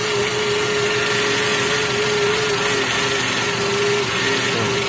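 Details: Toyota Avanza power steering pump held at full lock, at idle: a constant mid-pitched moan. The fluid is foaming and dirty, the filter is clogged, and aged, hardened O-rings and repair kit seals are leaking.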